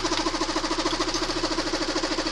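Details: Fast, even ticking at roughly eight to nine beats a second over a steady idle, nearly silenced when the tensioner is propped with a bolt and returning when the bolt is backed out; loose timing chain knocking at the tensioner.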